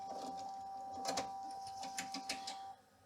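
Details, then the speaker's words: 1990 Macintosh Classic, after its hard drive failed to spin up and boot: floppy drive gives a steady high tone with scattered clicks and seeks as it tries to read a System 6 disk, fails, and ejects it. "it tries to read, but yeah, it doesn't succeed with that either. So it just spits out the disk again."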